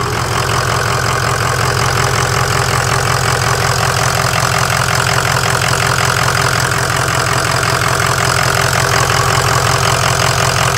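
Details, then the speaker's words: 2004 Ford F350 6.0 Powerstroke diesel (bored .020 over, stage 2 cam, 175/30 injectors), just after fitting aftermarket intercooler pipes and throttle body, no engine lights: steady even clatter about three beats a second, no misses; owner thinks turbo louder; normal idle. "This might just be me, but you can hear that turbo quite a bit more."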